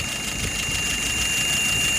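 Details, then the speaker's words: Engine just started after repair, dry inside: thin steady high whistle over the even idle right after start-up; it goes away after a while. "All right, yeah, it's a little bit of a whistle to it right now."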